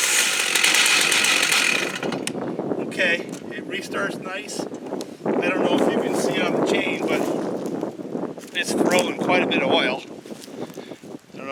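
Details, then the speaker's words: New Holzfforma G888 large chainsaw on first look, restarted: a loud, busy two-stroke snarl settling into an even rhythm with no misfires or stumbling; restarts well, plenty of power, oiling well with no gas or bar-oil leaks; normal running. "It restarted well. It has all the power in the world."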